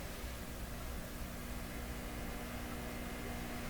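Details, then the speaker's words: Canadian PYE 762/39HC shortwave radio on the 19-meter band, apparently in its non-working state: steady hiss with low mains hum and faint buzz, no station coming through; cause not yet found. "okay so that sounds like it's in the non-working state a bit of a hum and a buzz but no uh i have a bit of a hiss in there"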